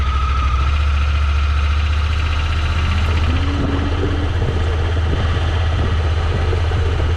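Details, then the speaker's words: Honda Pioneer 1000-5 side-by-side after spark plug change to fix rough running: steady, even low rumble with no misses while backing up and idling; runs smoothly, new plugs fixed it. "No missing yet. Everything's running smooth. Back forward. Idling good."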